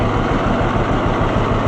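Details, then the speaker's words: Old two-cylinder tractor ("Freddie the Fiat"), start with choke after one pop, running well since the upside-down magneto was corrected. Deep, steady low thump at idle with an even beat and no misses. Normal idle. "Barely even crank it over and it's running. He was right. Ever since we figured out that that magneto thing was upside down, this thing has been a very awesome runner."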